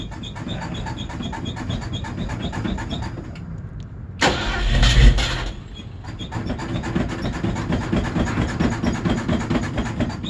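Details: Old Ford Bronco cold start in winter: starter churns steadily for several seconds, brief pause, short burst, then fires; cold-blooded, hard starting with long cranking.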